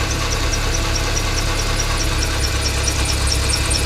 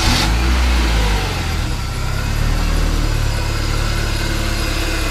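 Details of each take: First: 1995 BMW E36 318i at idle, before repair: a high, rhythmic chirping squeak, about five a second, from the worn deflection idler pulley next to the alternator on the auxiliary drive belt; maintenance spray only quietens it briefly, so the pulley is being replaced. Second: 1995 BMW E36 318i after replacing the auxiliary drivebelt deflection pulley beside the alternator, which had squealed at idle: steady, even low idle with smooth beat and no chirp or squeal; normal idle.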